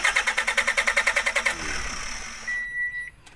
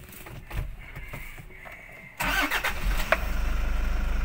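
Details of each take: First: 2018 Toyota Hiace Commuter with no instrument panel display at ignition on, fuses checked and dashboard removed; starter cranks in even pulses without firing; cranks but won't start, traced to failed relay contacts. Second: Toyota HiAce Commuter 2018 that cranked without starting and showed no panel display (BCM lost communication), now fixed: short quiet spell, then it catches first turn and settles into a steady, even idle thump.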